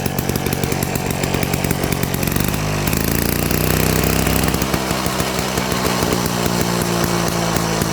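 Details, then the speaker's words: 70-year-old Victa 18 two-stroke mower after ground-up rebuild: fires crisp and even, briefly revs up, settles into a steady buzz; healthy running. "Definitely sounds healthy. Hell yeah."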